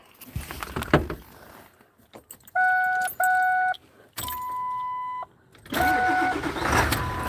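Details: Truck: key jangle and door chimes, then engine cranks and catches quickly into a steady run; an ordinary, healthy start.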